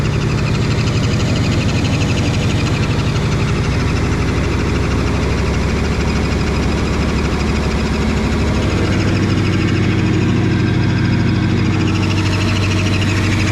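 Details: Supercharged Lexus ISF first start with new intake, X-pipe and wideband: loud uneven idle with a rapid knock about four per second over the engine throb; rough running, knock coming from the supercharger area.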